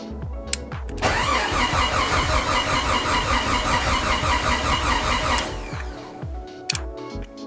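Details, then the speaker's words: Jeep with rebuilt 4.6L stroker engine, first start attempt in neutral; steady cranking at about two and a half turns per second for several seconds, never catches, fuel pump keeps cycling, owner wonders if fuel pressure is low. "fuel pump keeps kicking on I wonder if I just don't have pressure"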